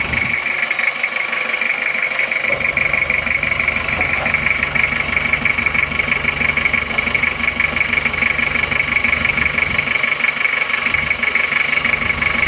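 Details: Toyota Kijang diesel 2L after rebuild for oil burning from 2 mm ring gap, new liners, original rings, idling, still breaking in: even regular clatter near three beats a second, no knock or misfire, healthy.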